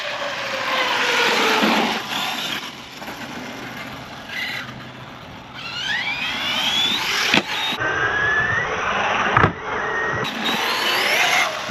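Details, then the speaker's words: Arrma Big Rock 6S RC truck, electric motor whining up and down, then hard chassis slaps on landings; shock fluid thinning and loosening, rear bouncing, so poor damping lets it bottom out. "The hard chassis slap. The back had a bounce to it, so the fluid didn't dampen as well as I would like it to."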